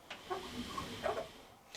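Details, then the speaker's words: Electrolux Mypro 8kg TE1120 commercial condenser dryer, fairly new machine, drum turned slowly by hand; two thin squeaks about a second apart come from the worn front roll bearing down at the side; owner says these usually keep going. "Now that's the front roll bearing that's down here at the side. It doesn't matter too much because they just keep going."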